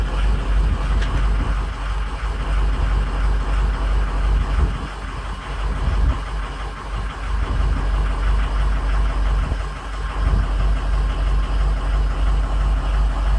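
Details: 6.0 Powerstroke diesel during a cylinder contribution test: lumpy idle with an uneven beat of about three a second and occasional knocks, from bad injectors on cylinders 5, 2 and 7.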